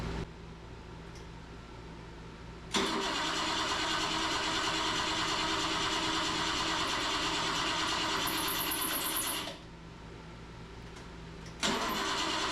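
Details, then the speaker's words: 1977 BMW 530i parked since 2017, after restoring spark: steady rhythmic starter churning about seven seconds, pause, cranking again, never firing; suspected no fuel, fuel pump not kicking on; cranks but no start. "can you turn that over what do you think no fuel feel like the fuel pump's not kicking on"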